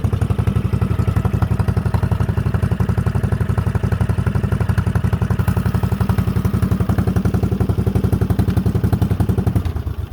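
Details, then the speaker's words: Cub Cadet 2185 after engine swap, no exhaust fitted; loud open-pipe bark, steady even firing about four per second, starts easily and runs smoothly with no misses. "or not i can actually fire it up for you it will start there is no exhaust"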